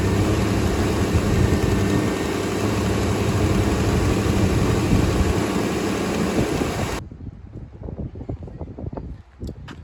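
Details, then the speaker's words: 3rd gen Firebird after new plugs (one original left), new wires, rotor and distributor cap, old coil kept: catches quickly and holds a loud, steady, even run with no misses or knocks, then cuts out; healthy. "So, now this thing should just fire right up."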